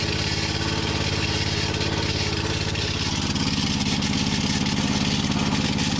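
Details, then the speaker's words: Hinowa tracked minidumper gasoline engine at idle: rough rattling knock about 2.5 times a second with a grinding edge; owner suspects worn rubber insert in the claw coupling between engine and hydraulic pump. "so as you can hear there is some kind of grinding sound that is not supposed to be there"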